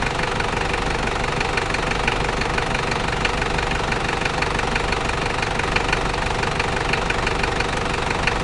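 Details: New 1KZ-T diesel engine idling: uneven, sharp metallic ticking roughly two per second on top of the clatter. Engine knocking at idle, origin unknown.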